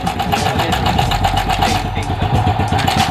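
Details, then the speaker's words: SYM Bonus X110 scooter restarted after about 3 years stored, carb and airbox just refitted: uneven ticking rattle at idle, about four per second, that fades and returns. Cam chain tensioner spring later suspected missing. "Ano yung ingay niya guys? Oo nga guys, meron siyang maingay. Nawawala. Tapos bumabalik."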